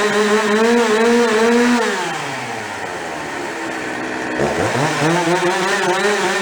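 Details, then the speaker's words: Husqvarna 353 chainsaw bought cheap and barely running, after being gone through: crisp high revs drop cleanly to a steady idle that doesn't try to die, quick trigger response, chain brake stops immediately; running healthy. "Sounds good, the brake works, stops immediately. It's got a nice idle to it, doesn't try to die."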